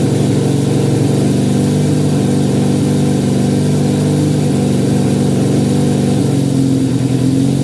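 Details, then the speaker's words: 1968 supercharged Honda CL175 (300cc blower on 175cc engine), first start in 30 years, car battery power, ~92°F garage: fast, slightly pulsing idle never settling to low tickover; owner suspects vacuum leak, carburetor jetting or oversized blower. "Well, definitely wants to idle high. There could be, or there are several reasons for that, but I'll just have to figure that out another day. It could be a vacuum leak."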